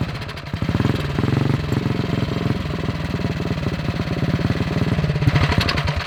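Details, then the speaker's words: 228cc stroker single-cylinder in a custom 4WD Power Wheels Bronco go-kart thumps unevenly, sagging and surging as it revs. There is no smoke and the fuel line is full, yet it acts as if out of gasoline. Fuel starvation suspected, not confirmed. "so like you would think that um we don't have a fuel flow problem but it's really acting like it's out of gasoline"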